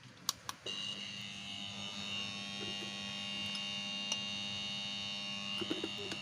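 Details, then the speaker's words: Sharp two-door refrigerator whose original compressor seized: when plugged in it gives only a steady low electrical hum with a faint high buzz and never starts; the compressor was replaced. "hanya bunyi ya. Jadi bunyinya hanya seperti itu."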